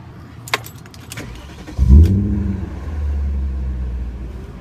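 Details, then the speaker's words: 1997 BMW 540i (E39) start-up: a key rattle, then a short rev into an even, deep idle with little timing-chain rattle. Normal start-up and idle. "not much rattling from the timing chain I'll let you guys listen to it"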